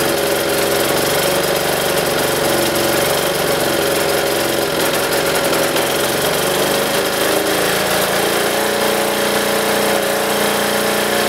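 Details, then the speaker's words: Military diesel generator running with spark arrestor fitted: harsh crackling run with uneven bogging; rough running from heavy exhaust back pressure, which improved once the spark arrestor was removed. "which makes sense because Diesel's don't need as much back pressure but this thing was happened like loads of back pressure to the point where it was just bogging down crackling not sounding good"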